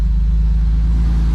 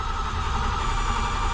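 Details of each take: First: BMW E12 after fuel tank acid-cleaned and new fuel pump and filter fitted, fuel pressure at 30 with no leaks: steady, even low idle rumble with no misses, surges or knocks; normal idle. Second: BMW E12 after fuel tank cleaning and new fuel pump and filter fitted, first start with a dry fuel system: starter churns steadily with a whirring tone for about five seconds but the engine never catches; a leak at either a fuel line from the pump or its hose clamp was later found.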